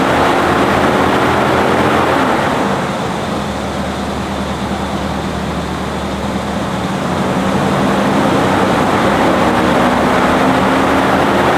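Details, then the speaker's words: 1985 Chevrolet Monte Carlo SS V8 with cat-back dual exhaust and 200-4R automatic: deep, even burble at idle that sags slightly then picks back up, smooth and steady with no knocks; normal idle and revving. "What we're going to do now is drop down, fire the engine up so you can hear it run."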